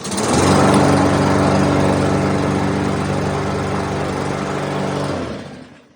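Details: Briggs and Stratton 550EX series mower engine after its plastic carburetor was cleaned: fires on the first pull and settles into a steady, even beat with no misses or surging. A puff of blue smoke was likely oil that reached the exhaust from tipping.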